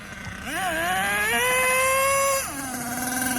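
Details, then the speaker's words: HPI Savage 25 nitro RC monster truck, first run: small nitro engine screams to high revs then drops off without matching drive; slipper clutch slipping despite being fully tightened, losing power through the drivetrain. "I don't know it sounds like slipper clutch is slipping even though I tightened it all the way up"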